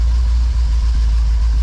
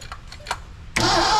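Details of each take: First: 1982 McLaren Mustang (Fox body), left sitting about 30 years, running after a fuel line leak was fixed: a deep, steady low rumble with an even beat around three per second and no knocks or misses, a healthy settled idle. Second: 1982 McLaren Mustang (Fox body) that sat for about 30 years, with its timing being adjusted. A few slow, labouring cranks, then it suddenly fires and roars up hard: ignition timing set too far advanced, later backed off.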